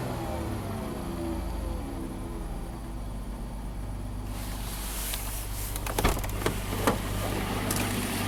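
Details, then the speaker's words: 2011 Dodge Grand Caravan, 3.6L Pentastar V6, 146k miles, running rough even after a tune-up: as it warms up, the idle shakes with a lumpy beat and occasional stumble, like a slight misfire, and low compression is suspected. "Yeah, it's definitely shaking, like it has a slight misfire. That screams to me has to do with compression."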